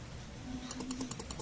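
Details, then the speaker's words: Yamaha Lexi 125 (2018–2019) showing code 12, engine light on, won't start on starter: light rapid clicking about ten a second from relay under seat storage, no cranking; starter relay chatter. "Dan juga kalau kita starter dia di sini ada bunyi cetek-cetek, Teman-teman, di bagian bagasi ya."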